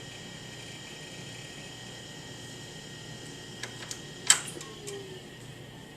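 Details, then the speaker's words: 1993 IBM PS/1 Consultant 2133-G49 (25MHz 486SX, 2MB RAM, 129MB hard drive, PC-DOS 5.1/Windows 3.1) powering down: steady fan hum and faint high whine, then chime, clicks and a thump as it switches off; normal shutdown. "So yeah, let's end this by listening to a very pleasant chime and the soothing sounds of a powering down IBM."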